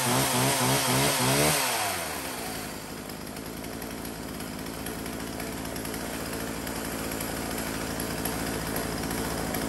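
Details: Husqvarna 36 chainsaw, two-stroke, sale test run: brief high rev drops cleanly to a steady, even idle with no stumbling or surging; runs healthy.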